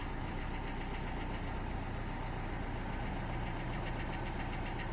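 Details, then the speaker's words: Corsa D 1.3 CDTi diesel after leaking injector removal and seal replacement, following a no-start: even diesel clatter at steady idle with no stumbles or hunting; running smoothly, normal idle after repair. "Yeah, it's running good. I'm going to leave it to run for a couple of minutes, then check the oil level again."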